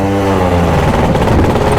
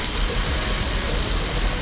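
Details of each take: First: Yamaha Jog CE50 70cc two-stroke scooter being ridden after replacing a faulty battery fuse: buzzy note rising and falling with throttle, firing steadily without cutting out; running and pulling normally, some dead spots remain. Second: Yamaha Jog CE50 70cc vertical engine, old crankshaft bearing removed during rebuild and spun by hand: steady gritty rumble with hissing edge; worn crank bearing, new one whisper quiet.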